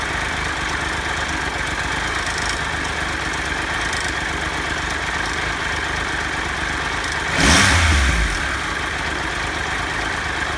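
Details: Triumph Tiger Explorer at idle after changing oil from 10W50 to 10W40 with a new filter: light fast metallic chatter with a brief rev blip; suspected timing chain rattle, not confirmed.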